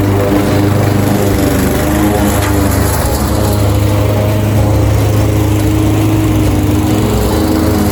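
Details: Craftsman 21-inch cut mower powered by a 5.5 hp Honda GCV160 single-cylinder, found with a dry tank, cutting grass at level two: a steady, even drone holding speed, no misses or knocks. Healthy under load; technically nothing was wrong.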